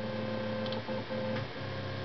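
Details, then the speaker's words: LinuxCNC running on an underpowered BeagleBone under load: steady stepper motor tones cut out and restart mid-move whenever the back plot is clicked; stepper stutter, cause not yet known, possibly BeagleBone-specific or from its limited power. "you can hear them stutter when i do the back plot so"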